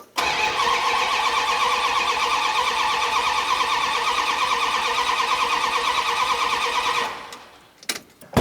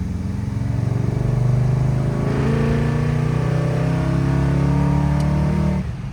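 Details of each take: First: 1972 Dodge Dart Swinger with a newly installed engine, first start attempt: even cranking about three beats a second for seven seconds with no cylinder catching; distributor reinstalled by guess, timing possibly way off, so no start. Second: 1972 Dodge Dart Swinger V8 with new engine and Flow FX mufflers, deep smooth burble rising evenly through the gears, quieter at idle and cruise, no rasp like the old exhaust; normal exhaust tone.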